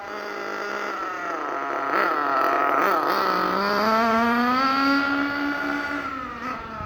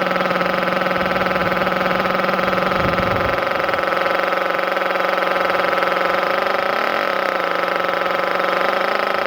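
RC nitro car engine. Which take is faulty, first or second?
first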